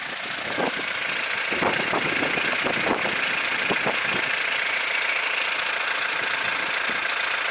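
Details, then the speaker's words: 2016-17 Hyundai All-New Tucson 1.7 diesel with DCT, at idle. Irregular metallic chatter, about two clatters per second, as the two clutches knock against each other; it fades when revs rise. Dual-clutch transmission rattle at idle. "이쪽에서도 들어오면 4 뭔가 이렇게 두개가 부딪히는데 타이젠 트 그런데 나는 게 바로 dc term 문제라고 좀 될 거에요"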